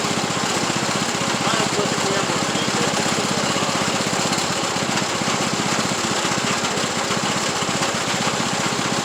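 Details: Craftsman YT3000 riding tractor's single-cylinder engine runs with an uneven rattly clatter, about three knocks a second, right after an oil change. It was still smoking and a blown head gasket is suspected. Noise source is unclear, possibly checked around a bracket and parking brake.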